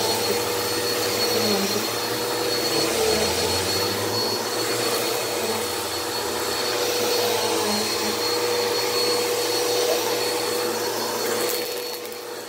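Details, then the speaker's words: Bissell PowerForce Helix 1700 upright vacuum (made March 2016), dirty with cat litter: steady high-pitched motor roar with even airflow, no rattling, grinding or speed hunting; belt, brush and suction seem good, running normally. "the belt seems good the brush seems good suction seems good"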